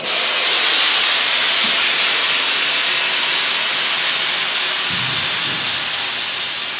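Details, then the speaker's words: Budget rollback truck build from scrap parts; loud steady hiss starting abruptly and tapering over several seconds as the air suspension dumps, lowering about three and a half inches, normal before it re-levels. "lowers about three and a half inches and then we just come back in you'll see my pressure is going to drop but i'm off shop there it'll come up right to right height as soon as it levels off you hear the air stop"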